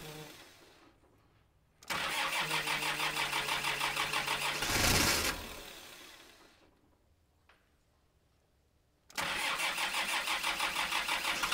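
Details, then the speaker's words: Kubota M5700 tractor, 5-cylinder diesel of almost 60 hp, after a stalling fix: fuel lift pump and filter replaced, tank obstruction cleared. It fires and runs at a steady, even beat without stumbling or cutting out. Healthy. "all right we made it all the way down and up that steep driveway I think I can call this one a success"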